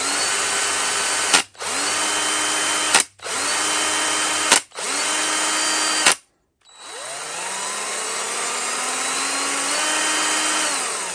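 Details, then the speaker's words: Parkside PABS 20-Li E6 20 V 45 Nm cordless drill with brushed motor: several short high motor runs, each cut off sharply on trigger release with a brief scrape from the quick-stop spindle brake; normal drill brake stop. "o ruído que você ouve ao soltar a tecla é completamente normal este arranhão é o sistema de parada rápida que permite o fuso travar de forma imediata"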